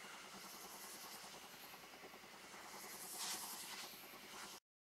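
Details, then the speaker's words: Lidl steam brush: soft steady steam hiss with quick light clicking as the pump draws up water; normal operation. "That's what that clicking noise is. That noise."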